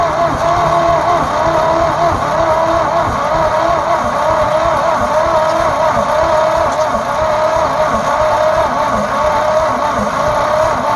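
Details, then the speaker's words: Abandoned 1948 Ford F5 bus after sitting 25 years, fuel poured down the leaking carburetor: slow, dragging starter churn with loose uneven rhythm, no firing; weak battery not turning it over fast, charger to be hooked up. "And that battery's not turning it over very fast. I might hook the charger up to it and run it as we're cranking it."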